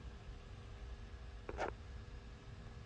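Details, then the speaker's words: Lorex 1080 HD digital video recorder cooling fan after cleaning out accumulated dust: a soft, steady low whir with a faint even hum. The fan now runs quietly and normally. "very good now you don't hear any noise of course this is the fan noise well i made it"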